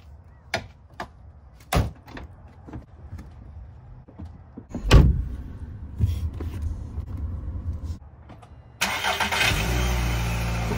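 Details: 2012 VW Jetta right after replacing the H6 battery: some clicks and clunks, then short crank at about nine seconds and the engine catches promptly into a steady idle; normal start.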